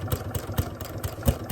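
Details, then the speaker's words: Sewing machine doing free-motion textile art through voile layers on a thin, pliable card base: irregular heavy thumps about every quarter second under a light motor whir as the needle punches through the stiff card backing. "I don't think it quite likes, because as you can hear that thumping, it doesn't really like that fabric base, you know, that card."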